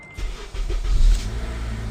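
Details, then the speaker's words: 2012 Acura TSX starting after starter replacement and swapping a clogged, rattling PCV valve: engine catches quickly and settles into a smooth, steady low idle; the former startup rattle is gone, normal start. "No more rattle. No more rattle. Cool. It used to rattle when you turned it on a lot."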